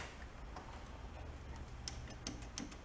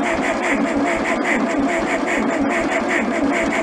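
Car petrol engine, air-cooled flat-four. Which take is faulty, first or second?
second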